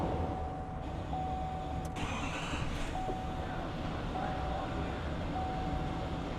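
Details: Diesel truck after pressure sensor replacement, DPF reset and code reset, engine restarted: steady low diesel rumble at an even idle with no knocks, misses or hunting; dash lights cleared, normal idle.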